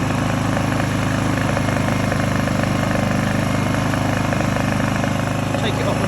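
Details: Honda EU2000i (EU20i) inverter generator idling after a fix for rough idle and poor starting blamed on stale fuel; smooth, steady low hum with an even fast beat, no hunting or surging. Normal idle.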